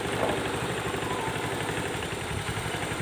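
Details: Beat Street ESP scooter that clicked at the starter button, after cleaning the rusty, loose starter relay and checking sockets: small engine settles into even quick idle, steady pulses, no stumbles or rattles; healthy. Ignition key switch noted as somewhat faulty.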